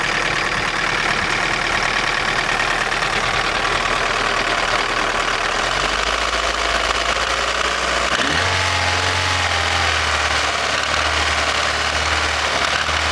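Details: Daewoo Nexia N100 1.5 8-valve petrol engine, hydraulic lifters already replaced: steady metallic ticking knock over the running note at idle, unchanged as idle steps down; engine knock, cause unclear.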